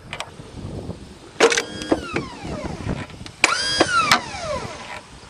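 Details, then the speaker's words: Old lawn tractor started after many years in storage: two short bursts of high electric whine spin up and wind down with no engine turnover. The starter drive gear is not engaging the flywheel, and the owner suspects a seized Bendix drive. "well for some reason that little starter drive gear is not lifting up by itself and engaging the"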